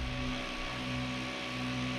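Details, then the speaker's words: Used mining GPU (number 3) after cleaning in Red Panda mining bathwater, powered up and hashing: loud, steady fan roar at full speed, sounding ready to vibrate apart yet even, card not too hot; normal fan operation at high speed. "Oh, she sounds like she's about to vibrate apart, boys. Holy Lord, she's a chooching."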